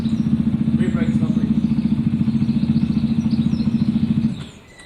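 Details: Zontes single-cylinder motorcycle after fixing a bad idle/cutting-out problem, warmed up: steady, even thump at a constant pace, no misses or cut-outs before it winds down; runs cleanly, problem solved.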